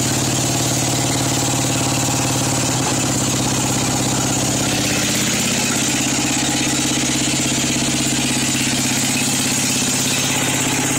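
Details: Craftsman 13.5 hp engine that was found with no oil and was smoking, owner suspects a cracked piston: slightly uneven idle of about three pulses a second, well below the carburetor setting, with an oil smell. Rough low idle, cause unconfirmed.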